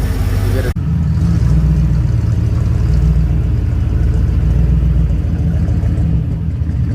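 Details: 1970 Ford Torino 302 V8, 3-speed, after no-start fixed by pressurizing fuel feed line with air and siphoning out bad gas; runs steadily with deep even burble, no misses; normal running.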